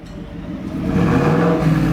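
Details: 2024 Ford F-150 single cab, 5.0 V8, after a Corsa catback exhaust install. A deep, steady idle rumble swells smoothly into a rev with no ticking or puffing; normal idle and rev, exhaust sound.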